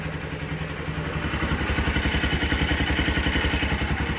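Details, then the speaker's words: 2023 Honda XR150L, cold, after a valve clearance check (the loose exhaust valve was adjusted, the intake was spot on) and a fresh spark plug: an even single-cylinder thump about 3.5 beats a second, no ticking or misses. A healthy cold idle. "all right everything back together and sounds like it's running good running"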